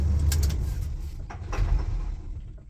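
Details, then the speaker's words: Carbureted car with remanufactured carburetor, shut off after driving into garage: engine chugs unevenly after switch-off, then fades; run-on (pre-ignition), suspected timing way off or carburetor not closing fully. "Yep. A little bit of pre-ignition there. So, that can be caused by one of two things. Either the timing is way off or the carburetor uh is uh not closing all the way."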